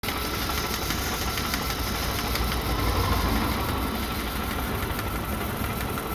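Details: Volvo with a Mazda/Ford Duratec engine, misfiring, with codes P0302, P0352 and P0400 stored. Rough idle: lumpy and uneven, with faint irregular ticks and stumbles over a steady drone. Cause suspected, not confirmed.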